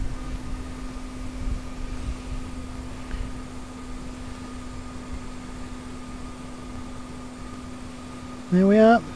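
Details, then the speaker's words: 1UZ turbo with a new fuel system (twin 044 pumps, 3-litre surge tank, external regulator set to 45 psi): a steady, even low hum with a faint whine and fuel heard flowing through the lines. No surging and no leaks; the pump runs healthy. "So we'll lock the nut off. And we can hear the fuel going through the lines. This all looks good."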